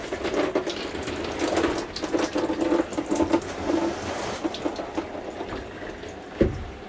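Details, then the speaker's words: 2020 Jayco Eagle HT 29.5 BHDS RV, hot water into the sink after fixing low hot water pressure that had dropped to a drizzle: full, steady splashing with no sputter or surging; normal hot water flow restored. "Definitely already has a lot more pressure than it did. It was actually to a drizzle to the point where water wasn't even coming out anymore."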